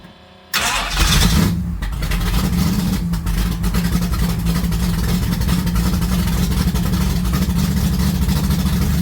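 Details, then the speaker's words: Pontiac GTO running warm after replacing old antifreeze with waterless coolant, run about 18 minutes to operating temperature: engine catches instantly and settles into a deep, even, steady rumble with no knocks or misses; normal running. "All right, hang on, my ears are still ringing. That sounded good."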